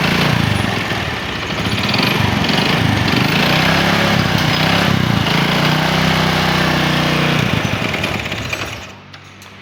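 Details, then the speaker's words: Honda Supra 125 small single being revved, with a fast metallic ticking of about four per second that quickens under throttle. Others had blamed the piston or clutch; this is a worn connecting rod big-end knock. "cukup cukup cukup ee Ini suara setang seher Oke teman-teman mungkin ada beberapa pandangan yang bilang ini adalah seher ini adalah kopling dan lain sebagainya saya pastikan ini adalah suara setang"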